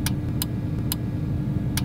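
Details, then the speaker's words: Relays clicking on and off in a DIY Loxone home-automation camper, switched from the automation software to turn the rear lights on and off: crisp sharp clicks over a low hum, normal relay switching. "avete sentito quel ticchettio ecco colori era il relais che si accendeva e si spegneva"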